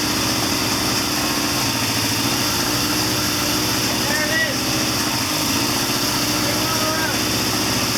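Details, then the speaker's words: 1979 Triumph Bonneville T140D Special twin, after clutch repair, in third gear with front brake on: steady even running with light rattle as clutch takes up, no slip or drop-off; normal running in gear. "There it is. Mission accomplished. She runs."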